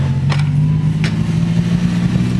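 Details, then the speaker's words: 1990 Toyota truck, on a test drive after work so the computer relearns: low uneven idle with hiccups and dips, stumbling and not picking up; cause unclear, owner thinks it's just old. "It's decent. It's just It's kind of stuttering right now. >> Like, it's stumbling. >> Yeah. like it's not it's not picking up at the at the beginning."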